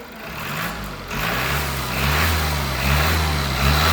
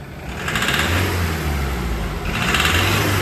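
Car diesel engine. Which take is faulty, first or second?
second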